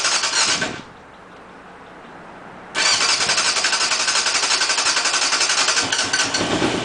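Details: Motorcycle, first start after cleaning the carbs and replacing the spark plugs; fuel lines emptied during the work, engine still lubricated from running a few hours earlier: cranks, catches after a pause, settles into an even idle with no misses; normal start.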